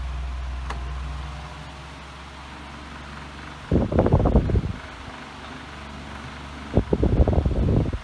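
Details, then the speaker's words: Air King 16-inch commercial table fan stepping from medium up to high: hum rises, then loose clattering bursts break through at top speed; owner blames the blades being a bit off balance. "The blades are a bit off balanced. I'm not really that worried about it, but you'll see when I turn it on to high, it does rattle a lot."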